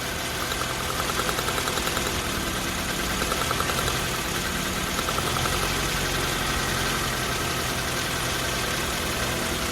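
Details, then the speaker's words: Nissan NX idling after new spark plug wires, distributor cap and rotor: steady idle, quick even pulse about three beats a second, no misfire or knock; cylinder contribution very smooth, stronger firing than before; normal idle. "Sounds like it has a lot more firing rate. I think the sparks more than what I had before."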